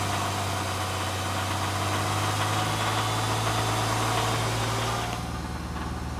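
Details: 2011 Hyundai Genesis 3.8L: steady idle with a quick, even light rattle around four per second over the engine; idle knock of unclear origin.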